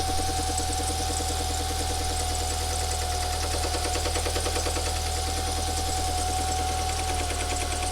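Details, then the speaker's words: Lancia Delta Integrale engine just refitted, idling evenly with a light, quick ticking knock about three a second: the timing belt cover was fitted behind its bottom fitting, so it sits too tight and catches the cam pulley. "it's the cover catching on the cam wheel. Now, right down the bottom there, it's supposed to go over a little fitting, but I've put it behind it, so it's too tight on the cam wheels."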